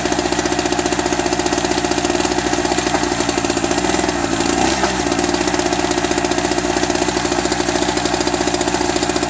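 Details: Eagle River ERG1200 two-stroke generator, first start: sharp rapid knocking, a few raps per second, sounds dry; owner suspects poor lubrication as oil smells plasticky, cause unconfirmed; engine knocking.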